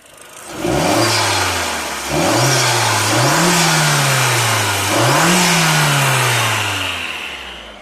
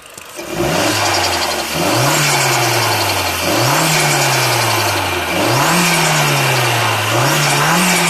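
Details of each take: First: Mk4 Golf GTI AUM with diverter valve-to-wastegate actuator vacuum pipe intact, no leak: three clean throttle blips, revs climb and fall smoothly with no flutter on lift-off; normal turbo sound. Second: Mk4 Golf GTI AUM with vacuum pipe from diverter valve top to wastegate actuator deliberately disconnected: revs rise and fall, each lift-off bringing fluttering chatter; a leak in that pipe causes turbo flutter.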